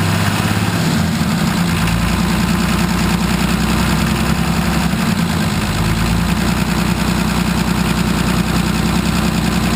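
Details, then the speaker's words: Nissan 33SD turbo diesel in a 1980 International Harvester Travelall after filter service and bleeding air from the fuel system: steady, even diesel clatter at idle without hunting or stumbling; normal idle. ">> All right. That's how it's supposed to sound."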